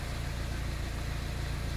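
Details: Engine with an intermittent misfire/chugging complaint, idling at this moment with a low, steady, even rumble and no stumble or skip.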